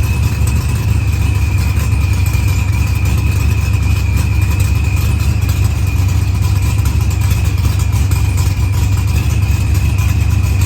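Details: Dodge Challenger with supercharged LS swap and zoomie headers, after blown head gasket and fuel pressure sensor fixed, firmware V6 220, timing 27° (target 28°), idle leaned: steady even rumble with faint supercharger whine, no misses or knocks; idles clean.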